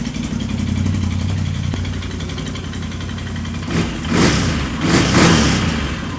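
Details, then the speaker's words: Can-Am Outlander 800 XTP after battery holder replaced, previously low power and barely running: steady, even idle with quick blips rising and settling cleanly, no misses or knocking; running fine, charging at 14.5 volts. "sounds good put this heat shield back on here"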